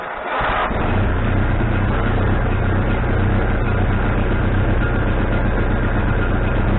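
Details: Wood-Mizer LT40HD sawmill engine just started after fitting a new carburetor, bowl having drained overnight: once it catches it holds a fast, unchanging idle that never settles; owner suspects he hooked the governor linkage up wrong.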